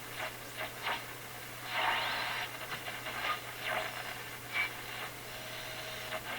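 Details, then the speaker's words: Westinghouse 622 vacuum tube shortwave radio, probably mid-to-late 1930s, after changing tubes and reconnecting two wires: irregular pops and crackles every second or so over steady hiss and low hum; cause unknown. "some funny sounds coming out of this [Applause] radio those Pops doesn't sound too"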